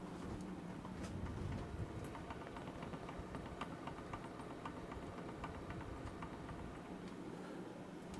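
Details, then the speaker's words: Hampton Bay ceiling fan running, mic held up to it: quick, faint, uneven ticking knock over a low hum from the top of the motor; poor-quality, worn motor bearing knocking. "poor poor quality of hampton bay fans it's sad i don't know if you can hear it i'll put the mic up to the ceiling fan you can hear it knock"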